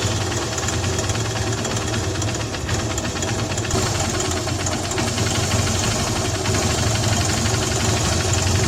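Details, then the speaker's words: Hero Honda CBZ Xtreme 150cc single-cylinder after tightening tappet valves: steady idle with only faint irregular light ticking under the exhaust note, valve clatter much reduced; normal idle. "कल सुबह हमारे हिसाब से तो काफी हद तक किसी जो आवाज है वह कम हो गई है"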